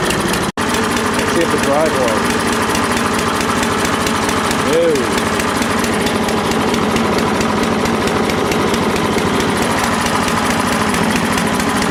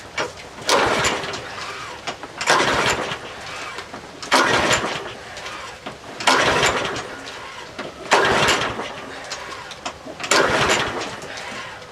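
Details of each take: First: Troy-Bilt 12AV566N011 mower after its carburetor bowl and main jet were cleaned and gas was flushed through the needle valve. It holds a steady, even buzz with no surging or misses: normal running. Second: Troy-Bilt 12AV566N011 lawnmower with no primer and an automatic choke, history unknown: repeated rope pulls about every two seconds that never catch; the float bowl was overflowing, tapping it stopped it, and the carburetor is filthy with a sticking needle valve.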